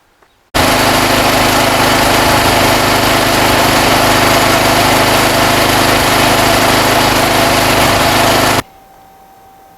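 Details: Off-grid backup petrol generator after temporary repair of a fuel leak (perished fuel pipe, jubilee clip fitted). Steady, even engine drone at constant speed with no misses or hunting, then clean shutdown; running normally.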